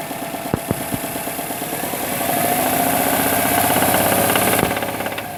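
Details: 2008 Subaru WRX, about 115k miles, idling: sharp rapid deep bottom-end knock about three times a second, rising as revs pick up; owner suspects rod bearing failure.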